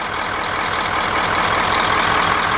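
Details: Smooth, even 9-liter diesel idle on a bus after valve adjustment (a tight valve, owner thinks cylinder seven, was corrected); steady low beat with no tick or thump, running like a sewing machine.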